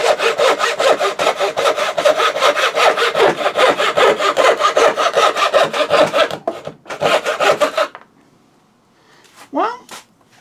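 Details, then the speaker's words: Freshly sharpened thin turning saw blade (rip cut) cutting out dovetail waste: smooth, even rasping strokes about two and a half a second, biting steadily; sharp saw cutting cleanly. "so far I'm rather impressed with this. I've never actually used a turning saw like this before."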